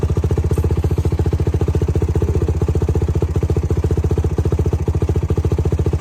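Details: YFZ WR450 478 hybrid single-cylinder after head gasket repair: even, regular thumping at about four beats a second, no knocks or rattles; idling smoothly, healthy.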